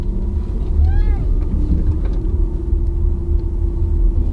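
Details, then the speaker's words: Used Toyota Camry on a test drive: a brief squeaky creak rises and falls over low engine rumble as the steering wheel turns, from plastic rubbing inside the steering wheel. The transmission also whines. Steering wheel creak. "That's the steering wheel. These things all creak when they get home. See? The plastic rubs in here."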